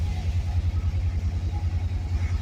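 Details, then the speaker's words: 1966 Dodge Charger V8, not started in a while, just fitted with an electric fuel pump relay: fires up, deep even low rumble with steady pulsing beat, idling smoothly on its own without throttle. "Not even hitting the gas. Nice. She's ready. Heck yeah. Well, she fired up easy."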